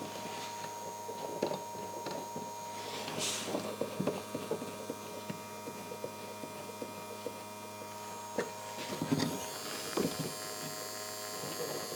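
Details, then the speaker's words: Original tube radio from a 1956 Chrysler Windsor (300i concept) in the shop: quiet tube hum with soft crackling static while tuning; aerial working, reception weak indoors; normal static reception. "nothing ah we have static that means this aerial is working but being that we're in the shop it uh doesn't like it too much"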